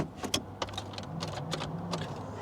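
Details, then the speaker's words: Abandoned three-cylinder Geo Metro LSi convertible, key turned to start: a steady low electric hum of the fuel pump running with a few light clicks but no cranking at all; fuses or the starter relay are being checked. "but the fuel pump is running I kid you not the fuel pump is running but no attempt to crank at all none"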